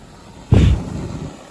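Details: Standing-pilot gas valve heating appliance after a thermostat call for heat: a soft whoomp as the main burner lights off the pilot, then a steady low flame rumble, a clean normal ignition.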